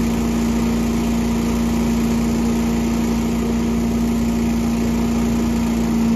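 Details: Small gasoline engine at full throttle after winterization with fuel stabilizer and fogging-oil storage spray: strong steady buzzing tone with no surging, missing or rattles; a brief start-up smoke pop is fogging oil burning off; runs clean and even.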